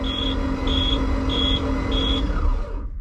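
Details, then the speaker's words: 2001 Reinell ski boat engine that had sunk, cranked via jumped starter signal with spark plugs removed: even cranking whir with no compression pulses under a warning beeper chirping about every 0.6 seconds; diesel poured in crankcase. "nice so there's the engine spinning with uh no spark plugs in it so obviously no uh no cranking compression"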